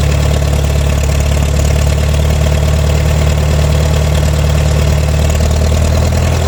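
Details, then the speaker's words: McCormick W6 antique tractor, crank-started with choke after a month sitting, dead battery: low, slightly uneven thumping idle, running rough; it has stalled several times. "so I had a problem with the installing on me a few times uh on the way to the shop here"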